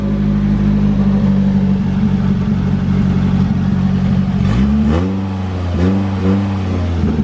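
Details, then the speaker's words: Toyota AE86 after work, startup then several quick throttle blips that climb cleanly and fall back without stumble; a smooth, responsive engine that still idles a little high, idle screw to be adjusted. "Give you guys a little startup. Sounds a lot better than it did. There we go. Super smooth."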